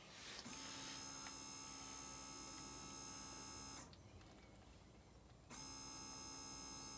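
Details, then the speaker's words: Ferrari 360 F1 gearbox actuator after rebuild and refit, bleed screws loosened and reservoir brimmed, scan tool running actuator bleeding: steady high buzzing whine of the hydraulic pump, cutting out briefly then restarting, even throughout as fluid flows; normal operation. "then gonna go into my scann tool will select actuate bleeding okay so you can hear it all going through"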